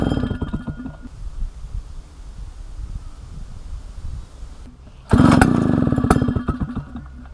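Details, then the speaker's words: A 1960s Solo 626 70cc two-stroke chainsaw, long unused and not yet serviced or carb-cleaned, gives quiet pulls, then fires and runs crisply for a couple of seconds before easing off. It runs very well and sounds healthy. "Right, as you would have just seen, this thing runs, and it runs very well at that."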